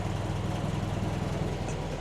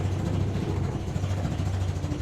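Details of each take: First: Land Rover Series 2a station wagon, after leaning off the over-rich mixture: low steady idle with regular beat, no hunting or stumbling, sounds much happier; normal idle. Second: Land Rover Series 2a station wagon, likely Weber carb and possibly old fuel, ticking over to warm up: low uneven chuffing idle like a steam train, exaggerated by exhaust behind the mud flap; mixture running too rich, rough idle.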